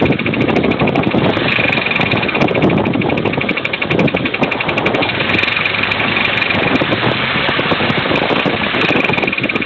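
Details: 2003 Pontiac Grand Am GT petrol engine under 170,000 miles idling with fast sharp rhythmic ticking knock; owner suspected lifters or connecting rod bearing; this engine blew six months later, damaging the flywheel.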